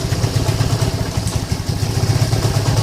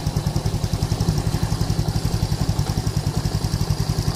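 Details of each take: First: Lagenda 115 FI motorcycle, cold engine (dies when hot, spark lost, weak fuel pump pressure): idle thumps unevenly, beats bunching and dropping out; stumbling rough idle, timing seems off. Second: Yamaha Lagenda 115 fuel-injected, which previously sputtered and stalled when hot, after two faulty parts were replaced and fuel pump checks came out normal. Small single thumps at an even idle, then clean throttle blips with no stutter: fixed, running healthy.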